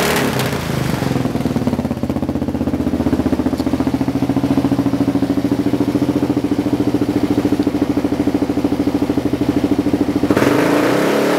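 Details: Kawasaki KLR650 just fitted with Two Brothers slip-on and mid-pipe: single-cylinder thump at steady idle, slightly uneven, with pops in the pipe; backfires only when stationary; owner thinks it needs a Dynojet kit for fueling. Backfire at idle.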